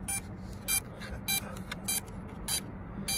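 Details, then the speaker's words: DJI Mavic Mini after firmware 0500 update with motor speed error: short high chirps repeat evenly, about a hundred a minute, over a quiet hum; faulty rear left motor vibrates when touched. "Motor speed error. So we go into the speed. It says that it's beeping. Whichever motor it is beeping."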